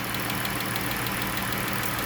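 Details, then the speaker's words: Chrysler Pentastar 3.6 L V6 idling with a light, quick ticking on top, suspected rocker arm noise; hard to tell which side, heard straight down the center, owner guesses bank one. "I would take a stab and I guess it wow it's hard to tell guys because you hear the straight down center but you can't hear it louder on either side"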